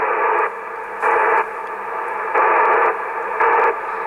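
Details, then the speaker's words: ICOM IC-726 transceiver with dead spots in TX and RX: static switches between quiet and loud in blocks while tuning with gain turned down, marking dead spots; PLL/VCO fault suspected. "So you hear that the static is relatively low. Even I really turn off here on my gain, and when I move here over the frequencies, you hear a point where the static goes"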